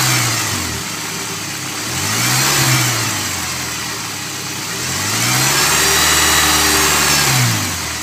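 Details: Honda S2000 engine: a hum at idle that swells into a whine rising and falling with each rev; cause unclear.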